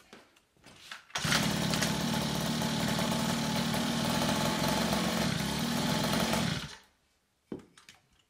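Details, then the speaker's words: Two-stroke minimoto pocket bike, first start with the carb idle screw turned fully in and then backed out: it fires and runs quick, buzzy and fairly even for about six seconds before cutting; healthy idle. "that sounds sweet it sounds like yes"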